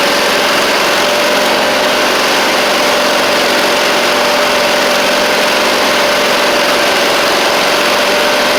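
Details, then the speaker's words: Huskee Supreme 50-inch riding mower with a Briggs V-twin, after sitting, running on choke with smoke: loud, buzzy, lumpy note instead of a smooth beat, with one cylinder not firing cleanly; the carb needs cleaning. "it's still not right what I'm doing is I'm trying to burn it off of The Buck of my pull up choke it work or it will fire the second ch and you can hear it there too"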